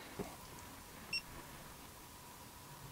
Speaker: hear it chirping as it goes through the different ranges. It does take a little while, but it does come up with the value.